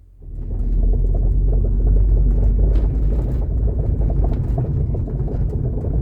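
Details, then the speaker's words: 2005 Subaru Legacy, right rear knock present for 6 months; after new stabilizer links and bushings and adding a missing washer at the shock, test drive: deep road rumble with irregular low thumps from the rear; shock absorber mounting suspected, rear suspension knock persists. "As you can probably hear, the sound did not go away I don't understand what's wrong. It must be slack somewhere."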